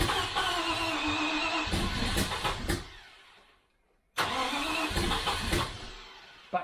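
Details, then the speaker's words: 1973 Range Rover first start: cranks and briefly catches twice, popping back through the carburettor throttles, then stalls each time; likely incorrect ignition. "again because the popping you can hear it through the throttles it's likely because the ignition is um is not correct"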